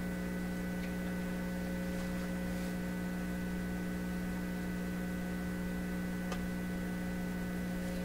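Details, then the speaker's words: PYE 39HC shortwave receiver under test with signal generator: steady low hum roaring under faint static, unchanged while tuning, no AVC response; mains hum, owner suspects the meters, source not confirmed. "let's give it a little bit but I got to give it a stronger signal than that listen that hump's just roaring"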